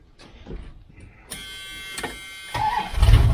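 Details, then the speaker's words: 1978 Dodge Aspen R/T with a new smaller starter fitted: crisp crank of about a second, then fires and picks up to strong idle, sounding different from the old Chrysler-type starter; normal start. "so anyway started up here it sounds a little bit different than the old chrysler type"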